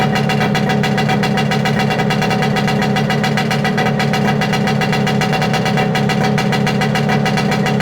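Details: Late-1960s/early-1970s Yamaha P125A outboard, no impeller, first start of the season after rebuild, restarted without choke; crisp, rapid, evenly spaced firing at steady speed, no misses or surging, runs healthy.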